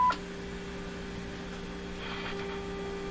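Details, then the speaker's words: Eatons Universal Electrohome floorstanding tube radio during signal tracing, about five times stronger test signal injected, volume full: a steady low test tone with rough overtones comes out weak and unclear; the audio is distorted, cause not confirmed. "that went up about 10 times divided by two so that's about five times the signal there so listen to it it's not clear it's not a beautiful Clear Tone"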